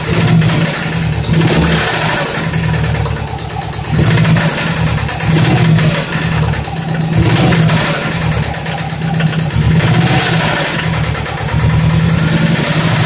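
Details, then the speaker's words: 2004 Subaru Forester XT, 87,000 original miles, at idle: loud idle with a rapid, regular ticking knock steady over the low drone; owner thinks it's knock, cause unconfirmed. "2004 Forester XT um 87,000 original miles see if you guys can help me figure what this sound is think it's knock but"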